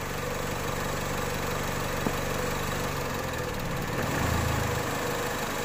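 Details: Mazda MX-5 on test with a sensor simulator on the MAF signal, hot idle: idle holds, then sags and lurches with a heavy low shudder about four seconds in, almost stalling; unstable idle, test validity uncertain.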